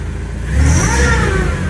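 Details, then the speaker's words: MX5-engined MGB with newly fitted supercharger kit, first start: clean whine rising and falling with throttle blips over steady engine note; healthy, belt not skipping; some smoke, thought to be from WD-40, heat shield removed. "That's the noise we wanted, and the belt hasn't skipped off."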